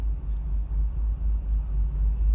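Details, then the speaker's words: BMW E46 325Ci with misfires on cylinders 1, 2, 3 (codes P1343, P1345, P1347, P0444, P0102), after brake booster, spark plugs and fuel pump swaps; deep lumpy rumble barely holding about 500 rpm, then dies: rough low idle, cause not found. "it was around 500 RPMs like before but it dies what could that be bro"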